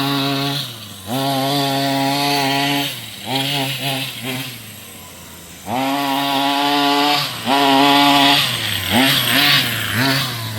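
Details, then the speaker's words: Rovan 45cc two-stroke in XLT RC after clutch change: short rev bursts rise, sag and die without snap, less peppy than before, "like it's drowning". "See that? Back then it used to be more peppier. It used to be more peppier back then. Sounds different. That's like it's drowning."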